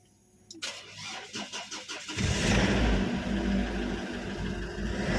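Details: Ford Everest diesel hard starting: slow cranking about four beats a second for nearly two seconds before catching and settling to idle; extended cranking.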